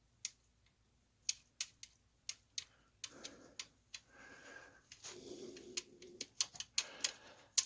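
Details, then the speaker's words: Dodge Dakota 4.7 V8 during a timing chain job: sharp irregular metallic ticks, about two a second, as the chain is turned, loosens and chatters, slapping against its guide. "keep going around with it loosen again okay that's where you guys chatter you hear that so that's what you're hearing the chatter on that chain now"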